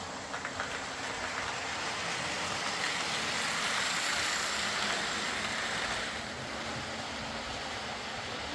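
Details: Old Lima Class 40 model locomotive in BR green, originally dead with front bogie issues, now running on a completely replaced motorised chassis; soft, even whirring hiss with no catches or surges as it pulls away slowly, running smoothly and quietly.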